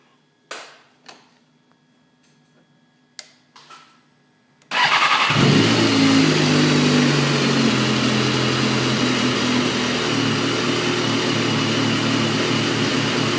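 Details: Stock 2012 BMW S1000RR (s1krr) fires up after a few clicks and settles into an uneven, lumpy rough idle that never quite smooths out; cause unclear.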